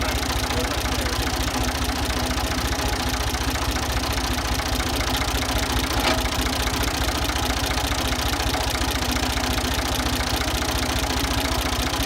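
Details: Ford 2000 diesel tractor running on Diesel Purge, smoky: steady idle with a sharp regular knock roughly 150 per minute, attributed to bad injectors being cleaned.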